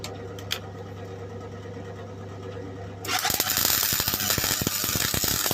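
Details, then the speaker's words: Old modified MIG welder after adjusting settings from too high (blowing through) to a working setting; a quiet hum, then a steady, even frying crackle without popping or sputtering, producing a decent weld: normal MIG welding. "well magic works that works yeah hey oh my god that bloody works while the chances oh my god I actually got a decent world actually got a decent world"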